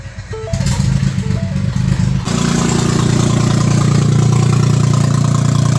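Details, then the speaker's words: Ford EcoBoost engine after timing reassembly without timing tools: long, labored cranking before it catches and settles into a steady run; hard start with cam/crankshaft correlation fault. "Hard start. No calm. Crankshaft correlation."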